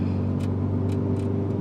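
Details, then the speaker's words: 2013 Scion FR-S with FA20 boxer engine, test drive after spark plug replacement: steady low drone with even engine note and road noise, no misfire or knock; driving good. "all right so let's take this for a test drive [Music] all right this thing's driving good"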